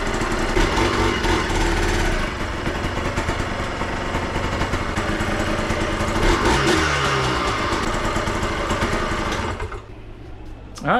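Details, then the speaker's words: 2003 Yamaha Blaster two-stroke, first start after full engine rebuild with new aftermarket parts following failure: crisp buzz holding steady even idle, no knocking or stumbling, then dying away; sounds tight and healthy. "she fired right up she sounds good she sounds nice and tight she idles right away everything checks out to be good"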